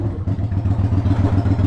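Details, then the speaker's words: 1993 Yamaha Virago XV535 V-twin, possibly with Black Widow exhaust, after replacing spark plugs (one old plug loose), warm: even low thudding beat revs briefly then drops back cleanly to a steady idle; running smooth and healthy. "I'm curious about the performance and see if it changed anything cuz it drops down"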